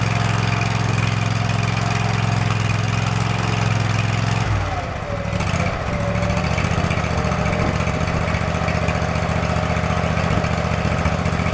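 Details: Field-find riding lawn mower, just revived and tested drawing fuel from its own tank: after a brief dip the small engine settles into a steady, even thump with no stumbling or hunting; running fine.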